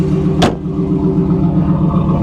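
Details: 1994 Pontiac Firebird Trans Am idling with about 5 gallons of gas in it: smooth, even idle with a steady low rumble and no knocks or ticks, sounding healthy.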